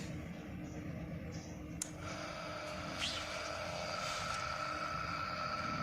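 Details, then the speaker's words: Indoor AC unit blower motor run on its own, cooling coil removed, after refitting the sealed motor to check a noise: steady, even whir with faint constant tone, no rubbing or rattle; motor now fine and quiet. "और तो यह लो दोस्तों हमारी motor बिल्कुल ठीक हो गई है"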